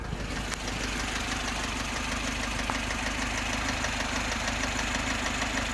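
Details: VAZ 2101 with a rebuilt top end (new rockers, camshaft, valve guides, valves, chain, sprockets, pistons), valves adjusted and good oil pressure. Light regular tapping about twice a second at idle, from under the valve cover, cold and hot; unexplained top-end knock.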